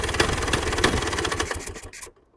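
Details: 1966 Vespa Sprint after rebuild with Pinasco racing crank, Pinasco 177cc aluminium cylinder and CDI ignition: quick, even two-stroke popping holds steady about two seconds, then cuts off cleanly. Normal running.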